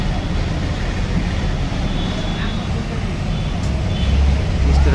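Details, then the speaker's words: Hero Xtreme 200R motorcycle engine: steady low drone with a loose, uneven rattle; a worn camshaft bearing was found in the head, and the one-way starter bearing may also be bad. "तो अगर इस तरह से कभी भी आपको crane की जैसा साउंड आए तो इसमें आपका ये इसका भी बेयरिंग खराब हो सकता है"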